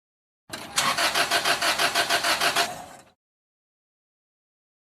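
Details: Car with a crank-no-start problem: starter cranks in an even chug of about five beats per second for two and a half seconds, but the engine never catches.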